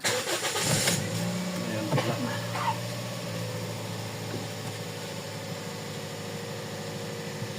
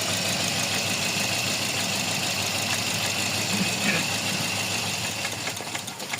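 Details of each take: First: Toyota Vios (Batman) after #4 ignition coil/injector misfire (P0354) repair and check-engine code cleared via battery reset; cranks, catches quickly, settles to smooth even idle while warming up, no more misfire. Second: Toyota Vios with code P0354 at idle: idle hunts and stumbles with an uneven, loping beat instead of a steady hum; one cylinder dropping out, number four misfiring, ECU coil/injector #4 signal being checked.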